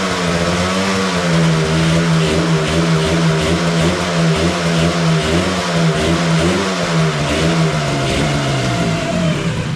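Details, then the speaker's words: 1985 Yamaha RZ350 two-stroke twin on premix, original spark plugs, makeshift fuel setup before rebuild: revs with lumpy, uneven beat as if running on one cylinder, right cylinder weaker; owner suspects fouled plugs; misfire. "really seems like it's running on one cylinder um the right cylinder seems to be maybe a little bit weaker"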